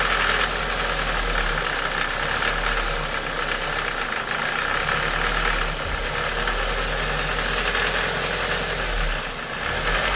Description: k11 cg13de engine ticking noise when at operating temperature and only at idle. the car has been freshly serviced with 10w40 oil to the correct level. the tick goes away with a few revs.